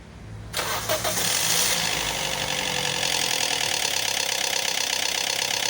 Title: Cold Start Rattling Noise | Toyota Vios 2NZFE VVTi Cam Gear Sound